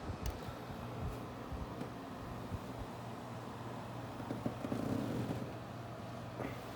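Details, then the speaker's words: 1987 Danby 7500 BTU window air conditioner (Korea-made, R22, 8.2 A, 8.7 EER), coils cleaned and thermostat adjusted. Compressor just switched on: a low steady hum under a soft fan rush, really quiet, no rattles. Normal compressor running. "So it is really, really quiet."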